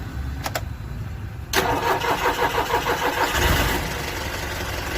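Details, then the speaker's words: SML Isuzu school bus diesel cranking hard with a delayed start; it also cuts off while running. Camshaft and crankshaft sensor codes appear, and the faults remained even after both sensors were replaced. The long, uneven cranking drags on before the engine catches. "ये गाड़ी या बहुत hard cranking है let start हो रही गाड़ी और running में भी आ हो रही है बारबार"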